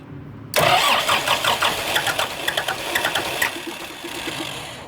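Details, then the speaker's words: Kubota M120 tractor diesel, sat four or five years after a fire, PTO switch just fixed: starter spins the engine with uneven churning for several seconds, never catches; crank-no-start, owner suspects bad lift pump or air in fuel. "i've got the pto switch fixed and she'll turn over won't start i think my lift pump out well i don't know if it's lift pump or just got air in it"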